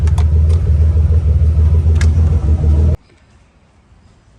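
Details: Car with a fuel pump control module bypass, after about 30 minutes of idling with the ground wire staying cool. Steady low, even idle rumble for three seconds with no misses or knocks, then the engine is switched off and goes quiet.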